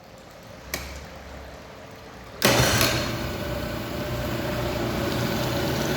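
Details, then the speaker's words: Honda 50 hp carbureted outboard, 6-valve, started without choke after priming the filter with the bulb; catches quickly after a couple of turns, settles to smooth even idle, no misses or knocks. Previously barely started; water discharge excellent. "Bu motor geldiğinde arkadaşlar çalışmıyordu. Yani çok zor şekillerde çalıştırabiliyorduk. Şu an problemsiz çalışıyor."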